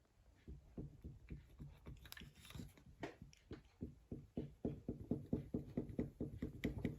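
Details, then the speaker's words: Triumph Spitfire 1500 rear hub removed while chasing a knocking noise, turned by hand: gritty crunching pulses about two a second show a worn-out bearing. The bearings and universal joint are to be replaced. "so that doesn't sound good to me in fact it sounds knackered yeah so um let's change the bearings and the universal joint"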